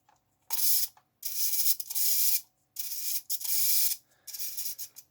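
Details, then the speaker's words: 1.7g micro servo in the boom of an RC Revell Liebherr A900C Litronic model; shrill whirring bursts start and stop irregularly as it catches and jams, motor heard running as if disconnected; owner suspects a broken gear with fragments catching. "i'm not sure if this servo is good because i think there might be a broken gear out you can see there it jams from time to time you can hear the motor running as if it's disconnected"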